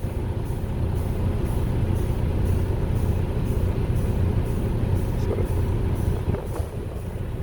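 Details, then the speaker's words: Diesel truck with its cooling fan commanded on through diagnostic software via the fan solenoid: a heavy rumble with a deep, steady rushing roar from the engaged fan, even and unbroken; the fan works normally. "can you hear the you hear it uh here it's that's the fan solenoid kicking in so we're gonna go ahead and"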